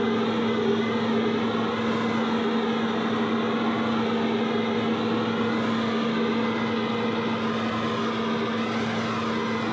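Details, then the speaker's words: Redmax EBZ5150 blower running after carburetor replacement (old carb blocked by ethanol bad gas); steady even drone, constant pitch, no surging or sputtering, normal running. "as you can see we got the blower back operational it's good and going or should I say good and blowing"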